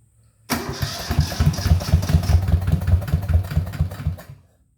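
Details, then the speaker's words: Yanmar YM1500 diesel tractor during restoration, fuel filter refitted and bleed screw on top cracked, releasing lots of air; cranks with uneven chuffing, about two or three beats a second, nearly catches then dies; air in fuel system. "i've cracked that little screw there on the top this one it's uh it was bleed screw so it needed to be bled and a heap big heap of air coming out so fingers crossed"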